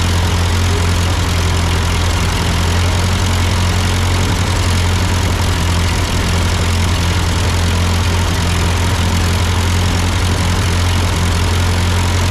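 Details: Ford 8N tractor idling after an amateur carburetor adjustment. Uphill sputtering had been traced to a cheap Chinese replacement carb; an old Marvel-Schebler ran fine. Steady, even low idle with no misses, surges or knocks; sounds good, a normal idle.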